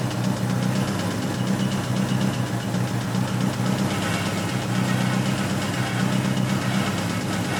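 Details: 1986 Toyota MR2 AW11 salvage-yard parts car: sharp, regular knock keeping time with the idle over the engine hum, not fading; bad rod knock, engine declared toast.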